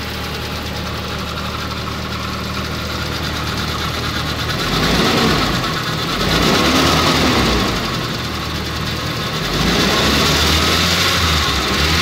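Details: Nissan CA18DET idling: loose uneven knocking about once a second over a busy idle. Rod bearing failure suspected, not confirmed.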